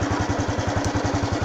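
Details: Honda Wave 110i (fuel-injected) after replacing the fuel pump with a new genuine one for a start-no-start fault; quick even thumping idle, no misses or stumbles, smooth settled healthy running.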